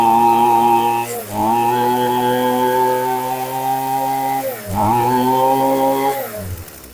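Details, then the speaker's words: HomePro F222 string trimmer (likely Shindaiwa-made) after repair: it had gradually lost power because a cracked primer bulb let air in. Now with a new NGK BPMR6A plug, it holds a clean steady buzz and dips briefly twice on throttle, recovering without stumbling. Running properly. "Wow. So that's probably all it was, is air was getting in all them cracks in the primer bulb."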